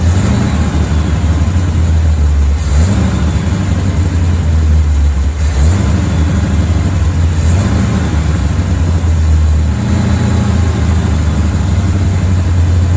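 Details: Chevy Bel Air V8 while trying to idle near 1000 rpm to set timing at 12–15 degrees: low, uneven idle sagging every couple of seconds, won't stay running long enough to adjust; rough idle and stalling, cause not confirmed.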